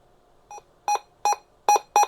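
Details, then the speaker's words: Vertex Standard VX-3000 radio after replacing its speaker with a 30 mm x 50 mm unit: five short, clean beeps at one steady pitch, loud and undistorted, with no rattle or buzz. The speaker now works normally. "oh yeah it's much much louder now there we go that sounds normal"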